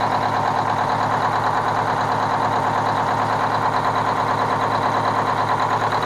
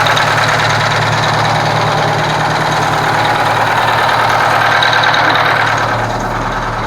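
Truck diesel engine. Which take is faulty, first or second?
first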